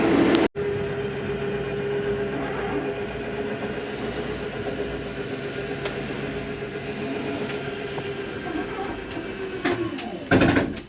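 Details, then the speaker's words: Jayco Jay Flight SLX 32BHDS travel trailer slide-out retracting: steady motor hum, then a brief harsh grind at end of travel, which is normal—how the slide tells itself to stop going in. "if you hear that sounds like a grinding noise don't worry it's not a grinding that's how the slide tells itself to stop going in it doesn't hurt to hear for a couple seconds"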